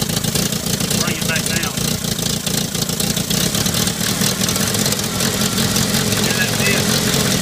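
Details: Later-model IH Farmall Cub tractor before a full tune-up, found with a dead battery: small engine fires up and settles into a loud, somewhat uneven chugging idle. It runs, with no specific fault identified.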